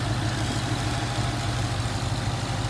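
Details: Ford Mustang GT V8 after bearing replacement for a knock: low, steady idle with an even beat and no knocking or ticking; bottom end sounds healthy, while coolant leaks from a cracked radiator.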